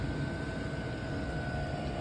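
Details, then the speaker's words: DWALE Chinese diesel heater after shutdown: steady fan rush with thin tone near 1.5 kHz, no combustion; fuel stopped, glow plug back on and fan purging heat from the exchanger, normal cooldown. "So in essence, it's trying to just do a proper cool off and get that heat that's built up in there out. So it's no longer burning fuel, but it is burning the glow plug."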